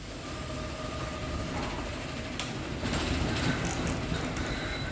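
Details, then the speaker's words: Genie Excelerator opener on a small sectional door after relearning limits; steady motor drone under loud rapid rail chatter, nothing catching; normal high-speed run. "it'll go back into highp speed mode that rail just shatters so much"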